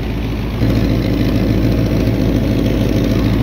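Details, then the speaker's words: 1978 Ford F100 auction truck after oil change and timing set, warm idle: deep uneven V8 rumble with raspy puffing from exhaust leak; oil pressure, temperature, alternator fine, transmission full. "look at that oil pressure temp alternator sounds good other than the exhaust leak transmission's full"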